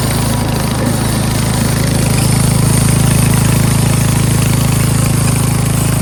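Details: Craftsman 13.5HP 30-inch rear-engine riding mower after repairs, cutting grass: even, low single-cylinder thumping around two hundred beats per minute, steady through the cut with no surging or misfire. Runs, drives and mows healthy.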